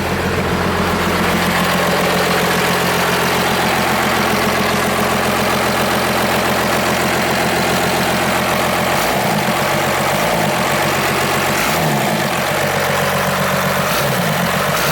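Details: 1989 Dodge W250 first-gen Cummins diesel, 4x4, 5-speed, idling after a quick start: even, steady diesel clatter at about 220 beats a minute with no misses, a healthy normal idle.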